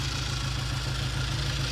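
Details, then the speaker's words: 1960 Triumph 350cc 3TA twin after repairs: started on the second or third kick and gives a steady, even low burble with no knocks or misses; good oil flow, charging on its 6-volt ammeter; healthy idle. "it started right up second or third kick and uh good idle it's throwing a charge"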